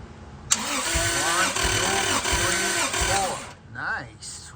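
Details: Rebuilt Toyota 2JZ compression test via starter jumper, after failed oil pump replacement: starter spins engine evenly with steady matched compression pulses about 3-4 per second; cylinders reading around 150, healthy.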